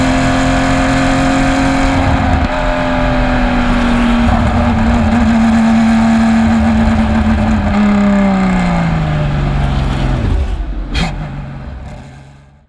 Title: Race 1 - Bad Misfire - 2020 PCA TRAC Road America